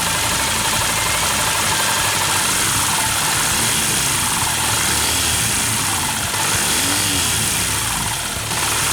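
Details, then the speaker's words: Yamaha New Vixion at idle: light, fast tick about four per second from top end, still present after tight valve clearance adjustment; rocker arm bearings wobbly; valves, timing chain, tensioner to be replaced next; valve train ticking. "Dan ternyata sama aja, udah setel rapat, tetap gelitik."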